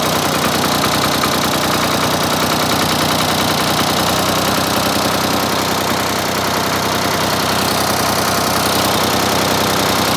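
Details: Ford 4000 3-cylinder diesel tractor after replacing the misfiring front injector: steady, even diesel clatter at idle with all three cylinders firing and no missed beats; normal idle.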